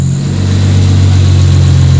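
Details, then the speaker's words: 1993 Toyota Supra RZ JZA80, 2JZ-GTE twin turbo with Blitz ECU and exhaust, previously misfiring with hunting idle; here a deep, steady, even idle with no stumbles or misfire, heard from outside the car. "I didn't seem to be misfiring so far it sounds pretty good"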